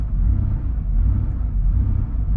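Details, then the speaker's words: Warm Porsche 3.2 Carrera flat-six, rebuilt engine, at idle around 1000 rpm, too high: after a brief rev it drops back and slowly rises and falls; idle surging, stops when loaded in first gear with clutch. "it's good and warm now it's idling but if you look it's idling a bit high at a thousand rpm that's a bit high so check this out this is very interesting i'm just gonna kind of to speed it up a little bit all right let it back to idle and there's our surging"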